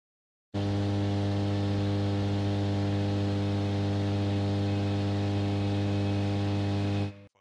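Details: Steady low mains hum with a buzzy edge and faint hiss picked up by guitar audio gear from nearby fluorescent lamps; fix is well-shielded cables or newer lamps; fluorescent lamp hum.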